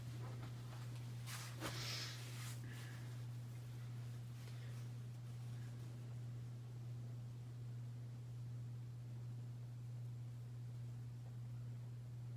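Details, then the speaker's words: Hampton Bay Cameron II Plus 52-inch ceiling fan built 12/1999, running with a steady loud low hum on medium speed; bad capacitor makes it run very slow and hum loudly, hum goes away on low speed. "you could hear the hum on high speed [Music] it's pretty bad"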